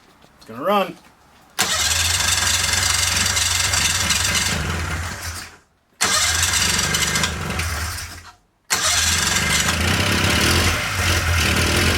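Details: 1997 Polaris Indy Classic two-stroke barn-find snowmobile, revived with new hoses and fresh gas with oil mixed thick: pull-start, then it catches and runs with a raspy, steady crackle through several bursts and keeps running fine.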